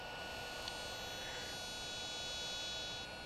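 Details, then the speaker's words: DJI Phantom 2 Vision camera pitch gimbal with the original servo, idling: thin, steady high-pitched whine that never settles, a common fault, and slow compared with the quiet replacement Hi-Tech HS-5055MG digital servo. "that servo whine? Yeah, they're real common for that. Look how noisy it is."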